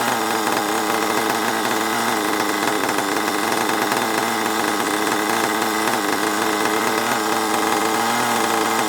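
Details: HPI Savage 21 nitro RC monster truck, old and long unused, after needle leaned out and further tuning: loud, high, buzzy wail held steady without sag or misfire at fairly even speed; running cleanly, still needs a good drive.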